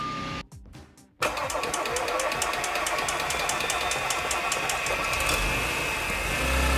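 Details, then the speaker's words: Audi S4 3.0T after walnut-blast valve cleaning, valve cover gasket and supercharger reinstall, coolant lines empty: short crank, catches and settles to an even idle with a faint high whine, owner wonders if supercharger – normal idle. "it runs almost sounds smooth there's no cool in there that's good"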